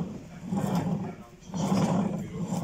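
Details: Yamaha Xmax 250 scooter at about 50,000 km: a rough, throaty growl swells twice from the rear wheel area, caused by worn rear-wheel transfer gear/transmission bearings.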